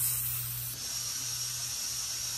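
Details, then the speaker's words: Thor's Lightning Total Control air compressor with a four-tire inflation hose kit, lock-on air chuck fitted to a Tundra tire: a steady, sharp hiss with no flutter as air escapes the open other end of the hose until it is plugged. "you can hear the air escaping the hose but it just locks it on it doesn't fly off so cool let me shut that leak down so that's air coming out the other end of this hose"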